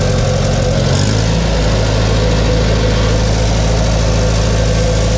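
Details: Farmall 140 industrial tractor, revived after 10+ years sitting, after swapped plug wires 2 and 3 were corrected on the distributor cap: a deep, even chugging idle with no stumbles or skipped beats, firing in order and sounding healthy.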